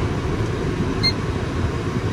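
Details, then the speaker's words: 2002 Volvo S80 2.9 automatic at idle, shifted from P to R to D: a steady, even idle rumble carries through each shift with no thump or clunk; engagement is smooth. "Ini kan posisi P, kita R, nggak ada jeduk. D, nggak ada jeduk juga,"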